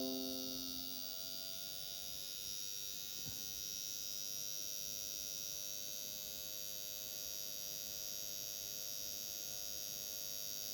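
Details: Brand new Dell XPS 13 laptop emits a high, steady whirring buzz with several fixed tones, a small fan sounding rough; likely a bad or missing fan bearing.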